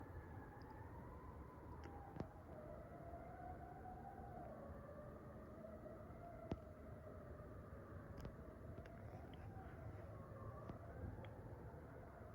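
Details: Fire truck siren heard at night from a distance: a wailing tone wanders up and down unevenly, wobbling and stalling instead of sweeping smoothly. Cause unclear. Abnormal siren sound.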